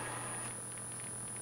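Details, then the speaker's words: Stella ST1017U valve television (405-line), warm after power-up, pattern generator connected, no screen glow: faint steady low hum, possibly frame multivibrator, with a constant high-pitched whistle suspected to be line timebase; powers up but not working, cause unconfirmed. "maybe i can hear the frame and i can hear a high-pitched whistle behind that which i think is a line time base"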